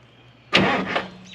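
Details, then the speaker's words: 1981 International Harvester diesel snow plow truck that sat for years: starter solenoid jumped with a screwdriver, giving a brief starter whirr and cranking with no firing. The key-to-solenoid signal circuit is suspected faulty. "okay the engine turns over um I really would like to do this with the key"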